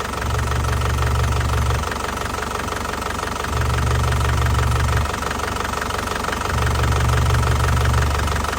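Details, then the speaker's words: Isuzu Panther Grand Touring 2012 diesel, original low mileage, engine hot, oil cap and dipstick open, no smoke; even diesel clatter at warm idle with slight rumble rise and fall every few seconds, normal healthy idle. "Nah suaranya masih enak banget ya Nah suaranya masih enak banget masih Ci khasnya ya"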